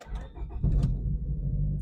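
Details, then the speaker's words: 1999 Honda Civic, manual, 243,000 miles, with a new battery and the old fuel pump still fitted, after prior main-bearing trouble: brief crank, then it catches at once and settles to a steady low idle. Normal start; owner now doubts the fuel pump was the fault. "and it looks like it turns right on so now that has me wondering whether or not the fuel pump was the issue in the first place"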